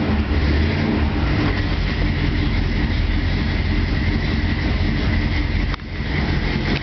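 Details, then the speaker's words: 1967 El Camino with ZZ4 V8, cold start after sitting, recorded outside; steady, even low rumble with no misses or ticking, idling cleanly from cold. "Outside, you can just see what the cold running is like. No fuss, no muss. I love that sound."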